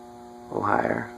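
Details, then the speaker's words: Circa-1985 Leading Edge A-60 industrial ceiling fan on a Grainger variable speed wall control turned to low: steady loud electrical hum with a brief rougher swell, louder than the other fans; the motor starts briefly, then stalls. "it's loud it's quite a bit louder than the other ones and you'll see it started for a bit and then it's stalled out"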